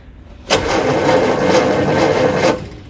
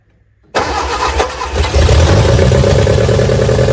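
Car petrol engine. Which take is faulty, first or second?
second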